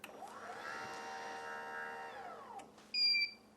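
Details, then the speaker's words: RollUpDoor by Smart Garage GDO-06 opener with red rope manual release disengaged, operate pressed: steady motor whine under three seconds with no load change, then a short beep; door doesn't move until re-engaged. "if it's disengaged the motor won't automatically re-engage so I'll just display that for a second here so right now I have the door in manual mode I'm going to press operate"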